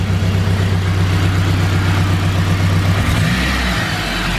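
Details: Honda Civic EK hatch, turbocharged K20, after raising boost to 25 on old gas in heat: uneven chugging pulse about four times a second, stumbling as revs change, vacuum dropped from 20 to 18; suspected misfire, plugs to be pulled.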